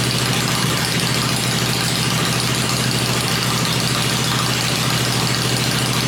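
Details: 96-inch motor with Edelbrock heads, freshly built and first fired on an engine run stand before installation in the bike; loud, even lumpy beat near fast idle with steady low drone, no knocks or rattles; normal idle.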